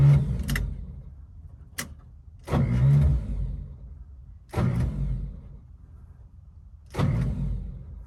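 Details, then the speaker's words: 1955 Chevy revived after sitting, believed to have a bad spot on the flywheel, starting fluid sprayed in; four one-second bursts of cranking that spin over fine but never catch; owner unsure, maybe starter. "so think that if i keep trying eventually it'll catch um i used to do something what did i do maybe rock it back and forth or maybe i'll just keep trying it for a second to see if it ends up catching maybe it's the starter i don't know"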